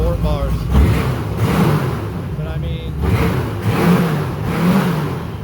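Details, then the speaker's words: Airboat big V8 converted to Holley Sniper EFI, both sides at 183°, being tuned with vacuum lines still to do: pulls up through a couple of revs and settles, firing evenly with no misses; very responsive, runs better than ever. "it's really really responsive um and it just runs so much better than it ever has so i'm pretty sure he'll be super super happy with it"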